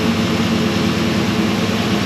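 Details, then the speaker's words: 1964 Chevelle V8 with Holley carb before repair, cold on the choke: steady, even high idle with a constant hum, no smoke, misses or knocks; yet it lays over and dies on throttle, and a primary circuit issue is suspected. "but as you can tell high idle on the choke is super smooth no smoke no"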